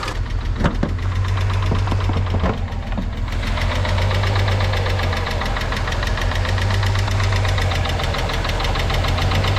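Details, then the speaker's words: VW Beetle VR6 at idle, few hundred miles after long storage, new timing chains: fast, light ticking over steady hum, owner suspects lifter or valvetrain; before engine flush and hydraulic lifter additive. "minate or at least minimize what I'm thinking is this valve train noise so let me know in the comments how bad you think this noise is"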